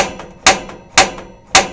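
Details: Elddis Avante 566 (2012) caravan gas fire on gas: control dial turned to 10 and held in, three crisp igniter clicks about half a second apart in a quiet room; normal piezo igniter sparking before the fire roars up.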